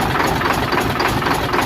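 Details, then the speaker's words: Hino Euro 6-cylinder diesel truck, injector cut-out check: rough, lumpy idle with uneven knock; only cylinders 3, 5 and 6 working, others dead; cylinder misfire. "यह जी इसमें अभी जो काम कर रहे ना वह तीन नंबर पांच नंबर छह नंबर ठीक है यह काम कर रहें हैं बाकी काम नहीं कर रही है"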